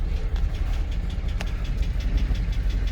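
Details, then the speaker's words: 2006 GMC Sierra 2500HD, headed for the junkyard, engine knocking: rough idle with a deep rumble and a tapping knock about three times a second, nearly stalling. Crank sensor code stored; a new crank sensor is planned. "i'll start her up here knocking away"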